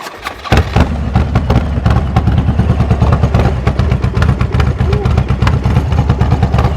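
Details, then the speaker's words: Harley V-twin started using compression release buttons, fitted with oversized custom injectors; it fires with a thump and settles into a loud, lumpy, loping idle, running very rich. "It's running so rich, dude. Even Oh, yeah, dude. Well, I got huge injectors like a 6.2."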